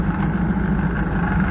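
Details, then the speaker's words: Dirt track car V8 at idle, loud deep rumble with a loose, buzzy rattle from the shotgun hood scoop shaking. "All that rattle from that uh shotgun scoop."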